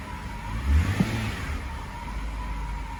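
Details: 2011 BMW X5 35i E70 N55, 109,000 mi, after Bosch fuel injector replacement fixing P0306 cylinder 6 misfire and surging idle: quick rev blip then smooth, steady low idle with no stumble or hunting; healthy.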